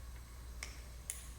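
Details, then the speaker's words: 1988 BMW E34 barn find with M20 engine and five-speed. The fuel pump relay is bench-energised from the battery via alligator clips on terminals 85/86, giving two sharp, clean clicks over a low hum. The relay works. "and i can activate the relay with this you can hear the relay clicking so you know it works"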